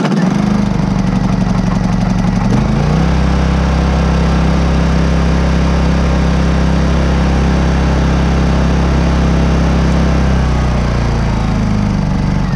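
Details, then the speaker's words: New Honda EU2200i inverter generator on eco mode, stock NGK plug gapped to .024 as the fix for choppy rough idle: catches and settles into steady, even low hum with no stumbling or hunting; smooth normal idle. "i will fire the engine for you so you can hear the idle how smooth it is so this is with a proper spark plug gapping at .024 on this ngk stock plug that they use"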